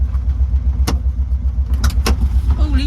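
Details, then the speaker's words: 1972 VW Beetle air-cooled flat-four, just revived after over three years standing: low, even chuffing at about four beats a second with no misses or knocks, a normal smooth idle. "God, he's idling."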